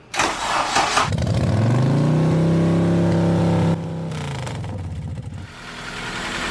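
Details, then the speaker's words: Honda Civic EP3 with freshly installed stock K24, first start on factory fuel pump: about a second of sluggish labouring cranking, then catches and flares before settling; battery sounds weak, slow cranking. "the battery sounds a little weak"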